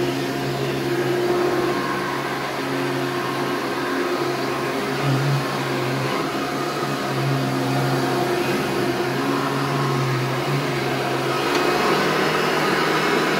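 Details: Hoover Turbo Power 2000 upright vacuum with original belt, running: steady motor drone with a faint thin constant-pitch whistle on top; owner unsure if it's the bearings, mostly worried about wind-down sound.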